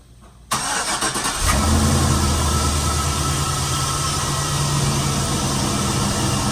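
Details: Chevy van with 4.8 V8 after water pump replacement and coolant refill, started to circulate coolant: fires quickly after a short crank and settles into a smooth, even idle with a steady low rumble; sounds healthy.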